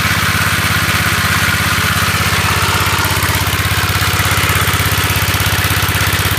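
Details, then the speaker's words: Gravely 814 single-cylinder engine, which previously locked up while mowing, running a few minutes after refitting: very loud, harsh, fast steady pounding; it then seized and would not turn even with plug out. "Well guys, I had the 814 here running for a few minutes, and it's just really loud, so I turned it off, and it seems like it's seized up."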